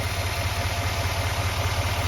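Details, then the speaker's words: 2020 GMC 2500HD AT4 with 6.6 L Duramax diesel V8 idles with a steady, even low rumble, no knocking or ticking; normal. "So no knocking, no ticking, sounds good, looks good, everything's stocked there."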